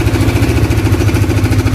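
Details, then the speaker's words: Honda CBR motorcycle before repair, complaint of noisy engine: steady idle with rapid, harsh ticking rattle that persists even when revved, from a weakened cam chain tensioner rod letting the chain slap. "Suara yang keras itu... yah, sumber suara keras itu seperti ini. Berdetik dengan buruk, kan? Sekalipun kita menggebernya , suaranya tetap terdengar menakutkan."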